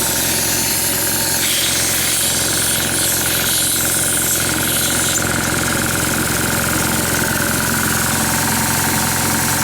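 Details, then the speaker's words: Oilless diaphragm air compressor without a pressure switch: steady, even, rapid pulsing hum with a hiss of air venting once it reaches pressure. It never cycles off, which is normal for this design, and it is not noisy. "What it does is once it gets up to whatever the pressure is, it just goes blowing out of here and stays running. Cool. Yeah. Again, that's not noisy neither."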